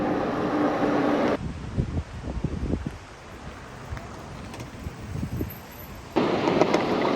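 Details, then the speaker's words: Xiaomi HIMO ZB20 Max foldable fat-tire eBike (250W motor, 10Ah battery) ridden over bumpy rough road: irregular plastic clacks and knocks as the battery rattles loosely in its frame mount. "but listen to that battery it is rattling away it's super annoying now you have to do something about that battery can't put up with t"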